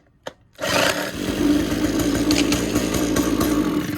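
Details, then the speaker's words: Abandoned free gas weed eater, power head separated from the shaft, primed by pulling fuel to the return: catches after one pull, running a fast, even two-stroke beat on choke. "how about that it ran well I think that's enough I had it choked"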